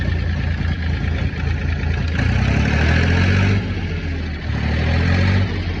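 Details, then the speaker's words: Ford Industrial 420 diesel backhoe, reportedly unused a month or two, held at high idle with a rock in the throttle: steady even diesel beat, no knocks or misses, smooth and strong; healthy. "Sorry about that loud son of a bitch running, but I had to put the high idle on, aka stick a rock in the throttle."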